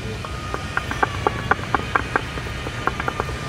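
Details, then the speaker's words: Honda CR-V front lower arm ball joint rocked by hand in the workshop, wheel off: sharp irregular clunks about four a second from heavy play. The car had clunking over bumps; worn lower ball joint. "ये lower arm बाल joint है आप देख सकते हो कितना play है ये आवाज आ रहा है उसमें से"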